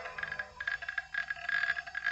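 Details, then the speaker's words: Toshiba Libretto 50CT, 1996, original 750MB hard disk, Windows 95 booting, microphone moved close to drive: bursts of sharp irregular clicking over faint hum; suspected imminent disk failure, to be replaced with CompactFlash card. "you can hear from the hard disk there is a lot of clicking going on and this makes me suspicious that this particular disk is going to die imminently"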